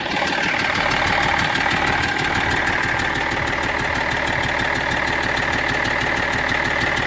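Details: BMW E46 330d diesel at idle: steady idle with light regular tick about three times a second riding over it; abnormal engine noise no mechanic has been able to locate.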